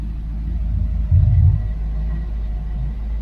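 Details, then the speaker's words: Ford Mustang Foxbody V8 after replacing burnt/broken plug wires, warm, smog equipment removed, suspect broken coolant temperature sensor causing high idle: deep lumpy idle, running better but slight miss remains. "you can hear she's running a lot better so it's still I like a little bit of a miss to it but you know what I have found out what most of these cars they don't run perfectly smooth anymore"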